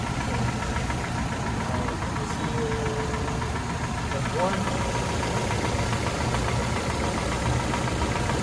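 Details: 1996 Toyota RAV4 at idle, injector checked with a listening tool for ticking: light, even tick at injector rate, no misses or heavy knock; injector clicking normally.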